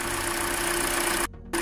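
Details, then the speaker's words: Hyundai Elantra 1.8 engine, 69k miles, idle before an oil change to 5W30: faint, quick light ticking over the idle hum, more noticeable when cold; owner suspects piston slap, not confirmed. "And when it gets warm, you can hear it less too. In cold weather, you'll be able to notice it"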